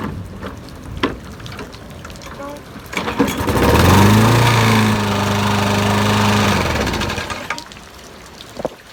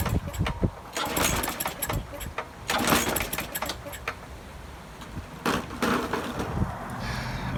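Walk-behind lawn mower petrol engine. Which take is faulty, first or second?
second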